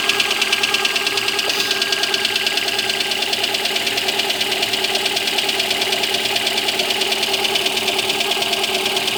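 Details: Lada Granta cold start: steady light tapping just under two per second over a bright even idle; knock appears when cold, cause unknown, owner asks why.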